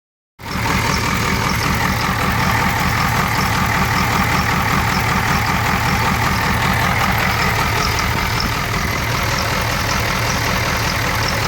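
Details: 1994 Ford 7.3 IDI diesel at idle: loud clatter with uneven lumpy beat about four pulses a second instead of a steady rattle; rough idle, though it runs normally under throttle.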